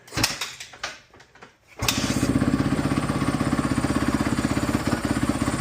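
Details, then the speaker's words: 2017 Honda CRF250R that sat in storage, restart with no throttle after an earlier stall (owner thinks idle a bit low): fires first try and settles into a crisp, even idle, no misfires, no smoke; starts pretty good. "That was close. Oh, it starts up pretty good."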